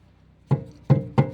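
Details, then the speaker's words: Lada Kalina rear, dull metallic knocks under load below 1000 rpm and in turns; torn muffler rubber hangers let the muffler shake: three dull hollow thumps half a second apart as it bangs against the body. "Оказывается, у меня вот глушитель в этой части. Вот сейчас глушитель. Вот он трясется, а он вот, как сказать, об корпус вот сюда стучится, короче говоря."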